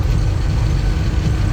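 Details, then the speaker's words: 1982 Dodge Ram D150, stock 318 V8 with RV cam, test drive after distributor rebuild fixing vacuum advance: accelerates fine through the gears to 70 mph on interstate, deep steady rumble with road noise, no misses or surging. "all right now it's floor went to passeng gears it's accelerating just fine sounds good we're up to 70 M hour"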